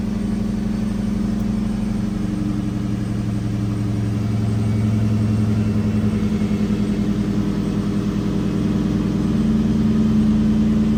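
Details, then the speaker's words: 2003 Ford SVT Cobra Terminator V8 idling after a DIY swap to new NGK TR6 spark plugs, with the intake removed and refitted: a steady, even burble holds its beat with no misses, ticks or knocks, a healthy smooth idle. "Everything went good. Now to turn it on, see if everything's good."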